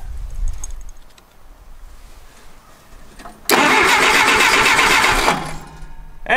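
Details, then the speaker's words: 1959 Case 300B (311B) tractor, 4-cylinder gas engine, parked outside 10 years, cranking in neutral on choke with a quarter-inch of throttle: steady churn for about two seconds, never fires; coil control wire solid, no distributor impulse, points needed cleaning. "completely solid which means we're not getting an impulse from the distributor"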